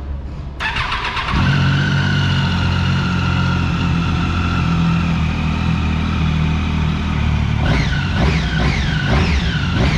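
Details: Daytona motorcycle cold start after the problem was traced to spark plugs with mismatched resistance; catches within a second, steady idle, clean pickup on blips: healthy cold start.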